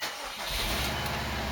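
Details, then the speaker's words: 2002 Subaru Impreza WRX after clutch replacement, started in neutral with clutch pedal in: short crank, catches straight away and settles into an even, steady idle; normal start. "Okay, I'm letting out the clutch. It should slow down the motor. Oh, perfect. It works good."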